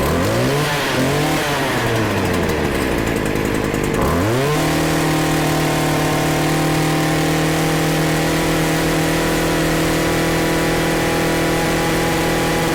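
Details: Stihl FS40C trimmer, started on choke after resetting the carburetor adjusting screw to one turn out: revs up, drops back, then holds a steady, clean high buzz. Running normally.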